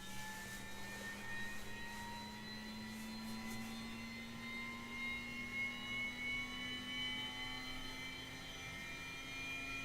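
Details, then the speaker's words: Aircraft attitude indicator being powered up: several thin high whines climb slowly and smoothly in pitch with no rub or grind as the gyro spins up normally. The off flag disappears and the instrument slowly aligns itself to level. "You can probably hear the gyro spinning up, and you'll see that it will slowly align itself"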